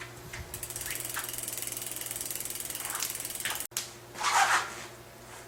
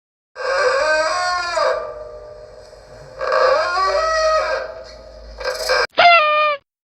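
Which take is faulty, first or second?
second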